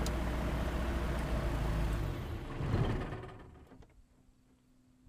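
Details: Sky Arrow aircraft engine: low uneven idle thump, about three to four beats a second with a stumbling rhythm, then dying away; rough idle.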